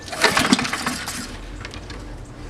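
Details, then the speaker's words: Free roadside Honda-engined walk-behind lawnmower: quick recoil pull spins engine briefly, never fires; fuel shutoff valve was closed, so no fuel reaching engine. "so one slight little thing that we might have missed was this thing the fuel valve Wow oh yeah so it wasn't on so that's why it wasn't going"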